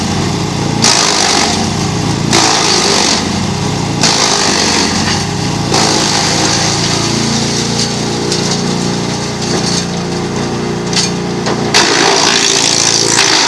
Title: GreenMech Arborist 130 wood chipper - Chipping on dull blades